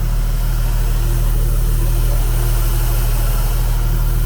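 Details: 1988 Opala Diplomata, originally carbureted, being converted to FuelTech FT450 injection with a Walbro fuel pump; pump is quiet after a soft hose was replaced. Smooth, even low idle with a steady deep hum, no misses, knocks or hunting; normal idle, fuel map still needs work.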